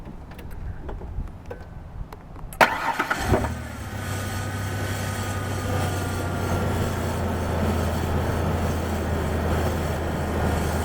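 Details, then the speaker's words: 1993 Ford Ranger after fixing rough idle (replacing a part and re-sealing leaking injector O-rings): engine cranks, catches, and settles into a smooth, steady idle with an even low hum. "you now it runs good probably the best running vehicle I have right now"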